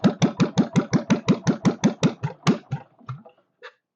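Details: Kohler K301 stationary single-cylinder, first start with a bit of chainsaw gas mix added for lube and fuel pump leaking: thumps around three a second slow and weaken until it stalls; idle speed needs raising.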